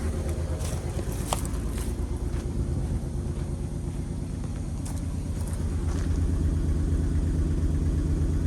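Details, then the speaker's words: 2008 Honda Ridgeline V6 with 299,733 miles, a parts truck long abandoned in the woods, fired quickly. A low, lumpy idle with an uneven repeating stumble; a burnt valve is losing compression on one cylinder. "As it turns out, the rear cylinder head on"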